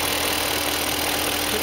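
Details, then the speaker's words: BMW E38 engine, 150k miles, after new Bosch Platinum 4 plugs and Bremi boots (split boots had caused Vanos-like knocking), engine cover off: smooth, even idle, quiet steady hum, secondary air audible, no knocking; normal idle. "Still hear the secondary air thing. I love it. Good."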